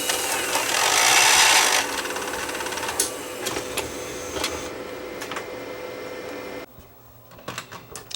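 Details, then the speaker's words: Sony DNW-A30P Digital Betacam/SX deck, damaged in transport: loud scraping, rubbing noise over steady whir with uneven ticks about twice a second from the rotating drum area, where only slip rings should be; impact suspected to have knocked slip rings out of alignment, unconfirmed. "what's under this cover should just be slip rings but the amount of noise they're making just doesn't sound right"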